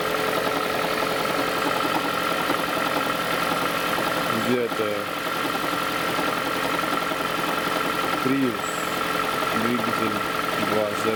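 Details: 2011 Toyota Prius 30, cold engine for about a minute: steady hum with irregular dull knocks every second or two; likely transaxle damper knocking from strong vibration of a misfiring engine, fixed by new spark plugs and injector cleaning; oil change and lifter additive didn't help.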